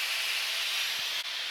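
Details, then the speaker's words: Low-temperature probe station after dewar turned on: steady loud high hiss without pulsing as liquid nitrogen gushes through input pipe into copper fixture, vaporizing to cool the vacuum chamber; normal liquid nitrogen flow. "Since we have turned on our diwar and we can hear the noise that the liquid nitrogen is gushing in, now we will check the temperature controller for the temperatures"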